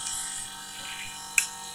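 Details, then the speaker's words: Sharp SJ-X197W refrigerator: a strong, steady high-pitched buzzing whine, not compressor vibration but a loose compressor mounting rattling against its seat; it stops when the mount is touched with a screwdriver and returns on release. "dia mengeluarkan suara desingan yang sangat kuat bukan ke getaran kompresor tapi ada seakan-akan ada yang kedudukannya tidak kuat ya"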